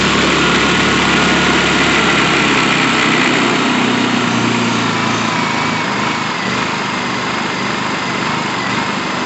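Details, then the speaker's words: Honda EU2000i inverter generator after carburetor repair and new air filters, oil filled to the top, started on full choke: steady, even buzz at constant speed with no misses, surging or knocks; runs perfectly, normal running. "Full choke is this way, and we're gonna give her a pull, fire it up. Run it perfectly."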